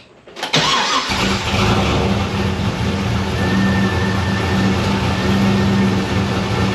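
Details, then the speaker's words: Pontiac GTO with MAF sensor deleted from tune and a new homemade intake, throttle body opened a bit more: catches and settles into even steady idle, no stumble; seemed starved for air before, not a fuel issue; now runs normally. "all right seems much happier there just dial the throttle body a little bit opened it up a little bit more seems like it was starving for air"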